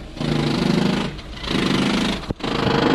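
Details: Volkswagen diesel car at idle: coarse, uneven clattering rattle, steady without throttle; flywheel problem suspected, not confirmed.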